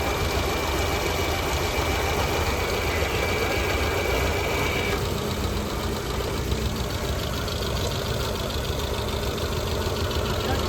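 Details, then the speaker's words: Tata Zest petrol idling with heavy misfire and hunting, no throttle response, check lamp and temperature light blinking; cylinder 4 misfire. "गाड़ी start है missing है काफी ज्यादा missing बिल्कुल accelerator है ही नहीं हंटिंग है बहुत ज्यादा हंटिंग"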